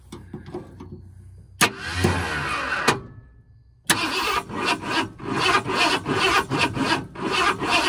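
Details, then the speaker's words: 1978 Ford Bronco Ranger XLT with 400 engine, sitting 20+ years, first start attempt with gas poured in carb: starter churns about 2.5 turns a second but never catches; distributor turns, ignition timing found one tooth off. Crank, no start. "Well, it does not like that. So let's see. It acts kind of like it didn't feel too happy about me putting some gas in it."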